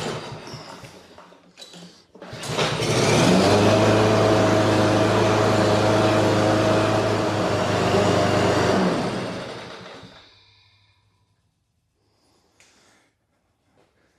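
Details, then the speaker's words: Husqvarna HU 600L mower, Kohler XT149, old carburetor refitted with new gasket: catches after a few pulls and settles into a high, steady racing hum far faster than normal idle; no longer dies in seconds but still hard to start. "[Music] putt [Music] wow that's running awful fast"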